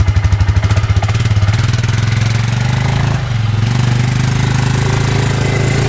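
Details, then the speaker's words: Suzuki Eiger 4x4 ATV after replacing the drive belt, the fault all along; owner suspects a wrongly fitted metal gasket chewed the old belt. Steady low drone with even pulses, brief dip then smooth pull under load; drives normally after repair. "All right, forward, low, high, reverse, all work. So it was the belt the whole time."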